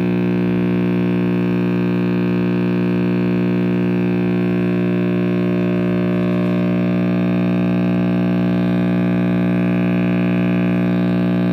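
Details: RCA Victor X551 vintage radio after recap and power-cord rewiring: steady deep drone with stacked buzzy overtones, loud hum; owner suspects the last filter cap soldered in, its reading unconfirmed. Cause not confirmed.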